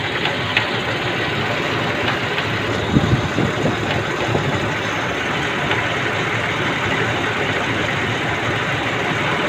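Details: Nissan Elgrand engine idling steadily with a light, faint tick riding over it; ticking at idle, cause not yet known.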